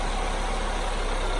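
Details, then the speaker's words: 2002 Ford Focus SOHC after a dropped valve seat was repaired with JB Weld and the fuel pump on top of the gas tank was replaced; start. Steady, even, low rumble with no knocks or misses; normal idle. "alright that sounds pretty good"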